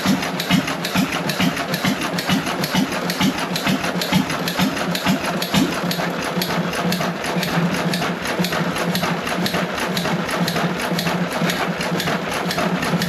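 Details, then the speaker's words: John Deere 1.5 hp hit-and-miss gas engine first run after repair, no water in hopper, barely warm: regular firing pops about twice a second over even mechanical clatter, no knocking or banging; normal hit-and-miss running. "I'm going to not tou it as long as running CU if it hooks around something it's going to try to St up but the engine is hitting the Miss"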